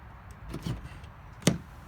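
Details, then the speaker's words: 2005–2009 Cadillac STS front door with new handle micro switches, keyless entry: a soft double click as the handle is pulled, then one sharp, clean latch snap; the door releases quickly, a normal latch release. "you can see it opened with very little hesitation see how fast it can go pretty quick it works very well"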